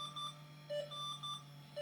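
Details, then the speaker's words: 20-plus-year-old Slot 1 PC booting Windows XP: steady run of short clean beeps a couple of times a second over fan hum; continuous POST error beeping, cause unknown. "So my original hard drive, and I'm sorry for the error beeping here, but my original install was Windows 98 and Windows 2000 dual boot,"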